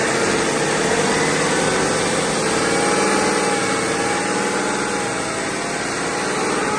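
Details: BMW X5 F15 3.0 diesel, 300,000+ km, on a lift with a used replacement front differential; loud steady airplane-like drone; oil held metal shavings, bearings intact but ring and pinion damaged, blamed on never-changed or wrong/fake oil.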